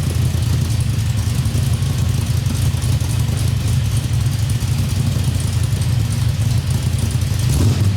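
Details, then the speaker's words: 1973 Chevrolet Nova with LS V8 swap, driveshaft just installed, first run under own power, indoors because of rain; deep loud V8 rumble with uneven choppy lope of a big cam; healthy cammed idle. "I hear your radio that says chop, chop, chop, chop, chop."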